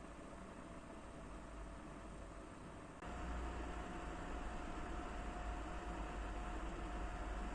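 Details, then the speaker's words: First-revision PS4 Pro after replacing year-old MX-4 paste with Honeywell PTM7950 phase-change pad: soft, even fan hiss with a faint steady tone stepping up slightly as the fan speeds up, still very quiet; normal cooling. "Починає трішки набирати оберти, я чую, але все рівно це дуже-дуже тихо."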